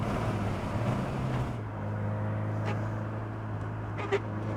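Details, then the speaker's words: Alfa Romeo 75 2.0 Twin Spark barn find while driving: uneven low engine drone with sharp exhaust pops and bangs; unburned fuel smell, owner suspects mixture way too rich; idle also hunts between 500 and 1500 rpm. "I smell a lot of unburned fuel and I hear the pops and bangs in the exhaust. So that mixture must be way too rich."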